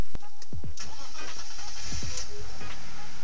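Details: Engine start after replacing the fuel pump with an AEM 340 E85 pump (ethanol setup) on a BMW E46: quick crank, catches straight away and settles, music over it; starts cleanly, fuel delivery fine, problem solved.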